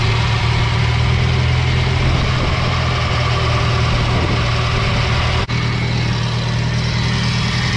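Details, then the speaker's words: Nissan S13 240SX after wiring harness repair and new plugs and injectors: engine fires and settles into a deep, somewhat lumpy idle with uneven low beat; rough idle, owner suspects fuel tank issue. "This up, we're going to verify our timing. Sounds like a fuel tank issue."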